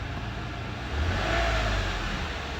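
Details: 2007 Toyota RAV4 V6 after replacing the cylinder 4 ignition coil, before clearing the misfire code: the engine hums low and steady, then picks up in a brief mild rev before settling back.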